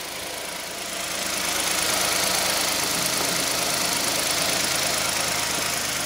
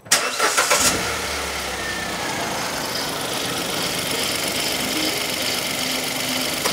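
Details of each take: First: 2015 Hyundai i10 1.0 petrol after timing chain replacement for suspected stretched chain: even idle, only a faint soft shushing hiss left from the timing chain area, much reduced from before. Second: 2015 Hyundai i10 1.0 petrol (Kappa) starts and idles with a rhythmic shushing chun-chun chatter, worsening over time, first thought a belt; original timing chain suspected stretched, before replacement.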